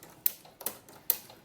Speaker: so now you'll hear the clicking noise because I'm only going to get a gather every six stitches